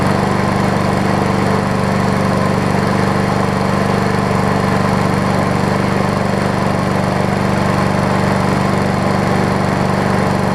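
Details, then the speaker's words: MTD push mower after crankshaft straightened with whacks, carb priming fixed and new air filter: steady, even single-cylinder drone with no misses, surging or knocking; running smoothly. "Put the new air filter on it, and seems to be running good."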